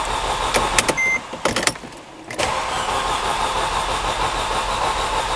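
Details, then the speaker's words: 2005 Mercedes CLK with M271 engine, crank no start after weeks at another shop, low-coolant warning on: clicks, then steady cranking with no catch though it almost ran; camshaft sensor code reported earlier. "well i guess that's customer complaint confirmed this car is a crank no start while that's customer complaint confirmed we definitely have got a crank no start although it almost wanted to run"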